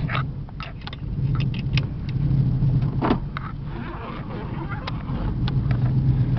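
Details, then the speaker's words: Chevy Caprice Classic station wagon driving: deep, loud rumbling drone following the engine, rougher and louder than stock, indicating an exhaust leak. "There we go. Now you can hear that exhaust."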